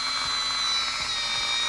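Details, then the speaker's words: Dremel rotary tool with a shaving bit, grinding a Miata part: high-pitched, uneven, wavering motor whine with faint thumps; sparking inside, so the tool is dying and needs replacing. "Oh, this sounds like it's dying. Oh no. You can hear it."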